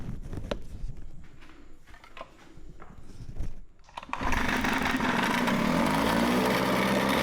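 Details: Mercury 9.8 hp 110 two-stroke outboard after a new water pump impeller and lower unit oil seals, fuel tank running low: clatter, then catches and settles into a steady, even buzz with no stumbling; running properly.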